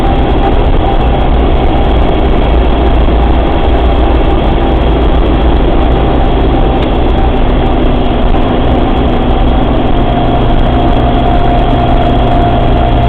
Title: ruidos raros en la trasfer del suzuki samurai/strange noises in suzuki samurai's transfer case